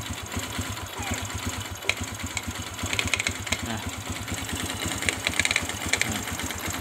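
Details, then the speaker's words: Sharp, irregular crackling clicks over a steady single-cylinder idle on a Kaze R motorcycle appearing when the clutch is pulled to engage gear; cause not yet clear, possibly clutch bearing or plates. "Suaranya seperti tadi, krek krek, bila kopling saya injak ya teman-teman, mau dimasukkan itu suara krek krek."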